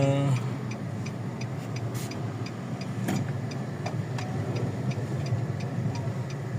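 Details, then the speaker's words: 2020 Nissan Almera automatic on a road test after a transmission repair with a new bearing and rebuild kit; the earlier drone and the rough noise when coasting are gone, with only tyre noise and a light tick. Normal transmission. "So ayan tine-testing na yung Nissan Almera. Wala na yung ingay. Wala na ugong."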